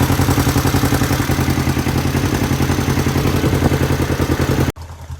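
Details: 1973 Honda CL450 twin after sitting 7 years, carburetors rebuilt with new kits and petcock cleaned: steady, even beat with no misses, pops or knocks, runs smoothly until shut off; normal running.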